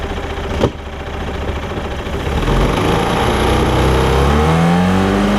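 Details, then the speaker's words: Mercruiser 3.0 in a Stingray boat, sat 9 years, new fuel pump and carburetor, stuck throttle collar freed, on muffs: steady four-cylinder idle about 800 rpm, revs climb smoothly with no misses or knocks; runs healthy. "i'll let y'all hear it rev it's idling at like 800 rpm so that's right on the money"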